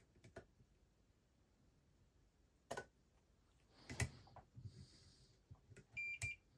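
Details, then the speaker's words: Whirlpool dryer control-board relay bench-tested with a 9 V battery across its coil: a crisp click, then a steady continuity-meter beep as the contacts close; relay good. "So we can just when we put the 9 volt it just connects them together and we can hear the"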